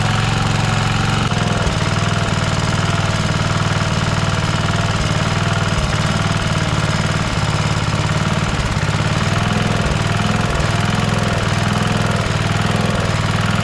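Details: Rover Ranger ride-on mower, first run outdoors in neutral after fixing no-spark (points cleaned and gapped to 20 thou, coil gap set, flywheel cleaned, carby lubricated, air filter re-oiled): loud, even single-cylinder chug at steady idle, no misses or surging; runs like a beauty.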